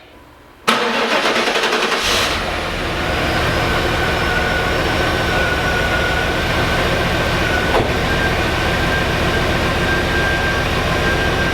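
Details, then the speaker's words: LT1 Pontiac Trans Am (4th-gen F-body) started after compression tests, with the fuel pump relay, alternator, belt and number six plug refitted: short crank, catches right away and idles smoothly with no miss. It smells rich, and the owner wonders about the fuel pressure regulator. "there you have it run smoothly with no miss this car is a freaking mystery"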